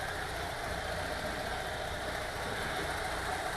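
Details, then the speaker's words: VW T3 2.1L after cylinder heads replaced to fix leaking number two exhaust valve that caused misfire and lean burn: even steady idle with soft uniform patter, no stumble or miss. "nice and even running again with the heads replaced this is the one that had the number two exhaust valve not sealing correctly"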